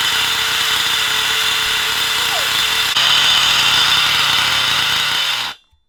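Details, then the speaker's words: XTM Monster MT nitro RC truck with an exhaust that seems to silence it a lot, mostly mechanical engine sound audible: high, steady buzzing scream holding even revs for five seconds, then a clean cut-off; now runs perfectly. "Well, that now runs absolutely brilliant. I mean, I can't complain about that at all now. That is absolutely perfect."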